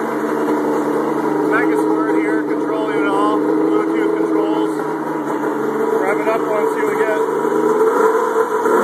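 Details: Snowmobile Indy 650 triple with GT1752 turbo, LS1 coils, Ford MAF, sequential EFI and MS3x, fire-up after the build: crisp two-stroke revs that climb quickly and cleanly into boost, no misfire or rattle. Runs well.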